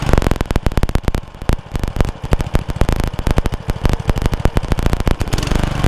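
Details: Honda Lawn Flite 553 HWS lawnmower on the bench: uneven popping beat that keeps speeding up and slackening, never settling; the engine is hunting.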